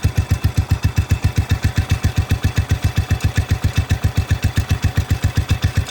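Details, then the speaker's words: Cub Cadet 105 lawn tractor after a fresh oil change and carburetor change, about a minute after a cold start: steady, even low thumping about 150 beats a minute, no misses or extra knocks; normal idle. "there you go that's the thing running just did a fresh oil change in it this thing runs amazing"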